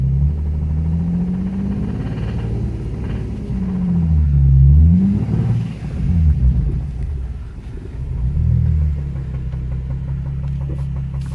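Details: Nissan 350Z petrol engine revving with a loud, regular metallic knock rising with engine speed after a bearing spun; it started as a minor tick and grew to full knock.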